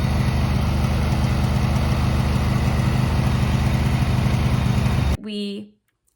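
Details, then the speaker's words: Riding lawn mower with a new battery; a rough, gritty grind rides over the steady idle, traced to the belt system under the seat, where worn pulleys likely need replacing: grinding noise with clutch released. "the pulleys when they get old they just start making that grinding sound"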